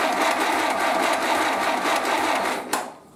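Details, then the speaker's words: 1931 British Dodge Brothers UF-10 panel van, first start after restoration, oil pressure present: steady rapid chuffing about four beats a second while cranking, no firing yet, as the fuel pump fills to feed the carburettor. "The fuel pump is filling up, so I'm just going to crank it until the fuel pump fills fully and then starts putting fuel into the carb, and if everything looks okay, it might start."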